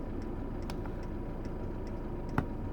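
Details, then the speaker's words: Chinese night heater in a camper van turned down to its low setting: soft, even dosing-pump ticking about twice a second over a gentle fan hum, with the exhaust noise quietening; normal low-setting operation. "s cheaper I wish I could put that in the tank the tank of the van but um yeah no I would do that so I don't know if you're picking that up on the mic that has now gone really quiet and it's still going down still going down just a little click and a little blow and the same on the outside the exhaust goes down as well"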